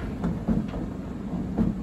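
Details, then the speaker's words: 7 kg Candy heat pump tumble dryer after its rear drum track was filled with putty. A low steady rumble with soft bumping thuds about every turn; the owner suspects the putty is not completely smooth and may file it down. "you can hear bu bum bum you can hear it making that noise so I haven't made a perfect job of it"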